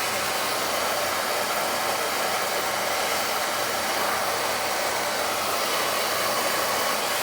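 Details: Recently installed oil boiler owner found not running right, fitted with smaller hollow nozzle to quiet it: steady even burner roar with no pulsing, rumble or flutter; clean stable flame, normal burner operation.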